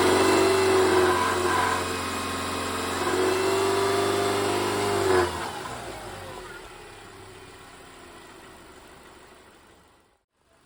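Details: 2010 Subaru Forester revved repeatedly: tinny grinding rattle, replicable around 2700 rpm and also heard on acceleration and at idle, traced to a loose exhaust heat shield.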